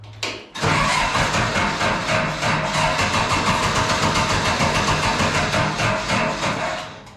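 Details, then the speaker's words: Case 1835B skid steer diesel after piston pump reassembly, weak battery swapped for a good one: short crank, catches at once, steady even clatter; normal start. "All right, so I figured out the electrical problem, which was the battery was just didn't have enough juice in it, so I had to steal the other boat battery. So try to see this thing start."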